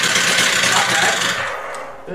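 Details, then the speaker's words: Stihl TS350 cut-off saw after engine rebuild, started indoors warm with choke off and throttle lock on; revs hard, then sags and dies within two seconds. It won't idle because the carburetor idle screw is turned down nearly all the way. "of course doesn't want to idle it no have to still adjust the idle I noticed it is turned down pretty much all the way on the"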